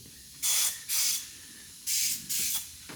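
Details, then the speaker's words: Turbo LFX-swapped Volvo 240 wagon, engine off, testing wastegate actuators: four short, sharp bursts of hissing air as pressure bleeds off. One cheap wastegate locked open. "oh that's weird it's locked up it's got a problem it's open it's locked open"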